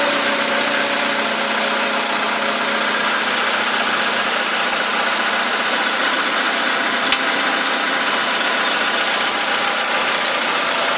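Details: VW Polo sedan, 13,000 km, fine fast light ticking over the idle, valve-like knock that appeared right after first scheduled service; cause not pinned down; ticking knock at idle.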